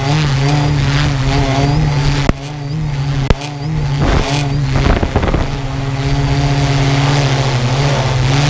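A steady low buzzing motor drone with warbling overtones and two brief dropouts; an odd noise from the quadcopter, cause not clear.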